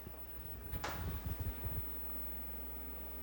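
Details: Commodore SX-64 after repair, floppy drive powering on and loading: short run of soft, quick stepping clunks, then a quiet spin; the drive seeks and loads normally.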